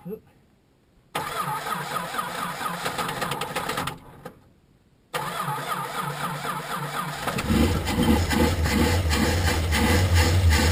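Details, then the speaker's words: Chrysler Valiant VJ, sat 25 years, got running after two hours pinching parts off an XD Falcon: two short cranking bursts, then the engine catches and settles into a steady, strengthening idle; normal start. "there you have it two hours pinching parts off an xd falcon i've got it running"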